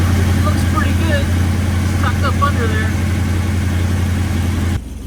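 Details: Restored 9C1 car after new exhaust clamped and lowered: deep, steady low V8 rumble with even beat, no ticks or knocks; healthy idle through sealed exhaust.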